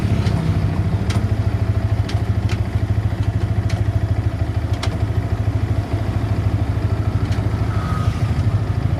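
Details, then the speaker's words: 2017 Yamaha R15 V3 motorcycle: fast, busy clatter over a low engine drone at steady revs, coarse and uneven. Owner finds the engine rough in sound and gear shifts and vibrating all over at 112 km/h in 6th gear, about 7,000–8,000 rpm. Cause not confirmed. "Selanjutnya kita dengerin suara mesinnya. Kalian kasar apa enggak?"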